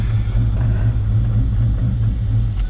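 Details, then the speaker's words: Built 5.0 Mustang GT sitting two years, after ground fixes and battery charge, running without MAF sensor or tune: deep, loud, steady idle with slight regular pulse, no knocking or stumbling; V8 running fine. "Well, it's running. Looking good."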